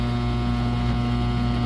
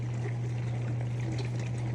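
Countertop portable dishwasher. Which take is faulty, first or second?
first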